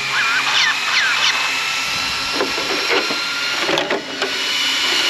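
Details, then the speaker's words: Arrma Outcast 8S RC car with Castle ESC, first run after rebuild: small cooling fans give a steady high whir, clean even pitch, no rattling; all fans working, one tightened down. "All the fans are working. I did tighten this one down."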